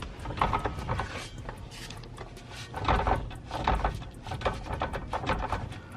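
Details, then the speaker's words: 2JZ-swapped BMW E46 with a newly installed custom driveshaft and adapters, wheels spinning freely, one bolt still to tighten: irregular clatter and knocking; driveline noise, owner suspects the new parts, cause not confirmed. "I guess this noise is because all this new stuff. I don't know what the deal is, but I still need to tighten one of those bolts."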